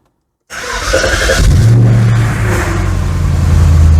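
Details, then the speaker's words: 2003 Audi S6 C5 Avant V8 cold start, fans kicking in, no dashboard warnings: starter catches quickly and settles into a deep, steady, even rumble with a clean rev; sounds healthy. "Right, this will be probably the ultimate cold start if it all works out. Oh, fans kicking in. The car is coming back to life."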